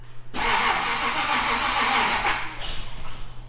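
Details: Edelbrock-ECU Ultimate Highboy that stopped running. The starter churns steadily for about two seconds but the engine never catches: crank-no-start. Spark is erratic, ECU rpm reading jumps 0–400, the battery seems low, and the owner suspects the distributor's Hall effect sensor.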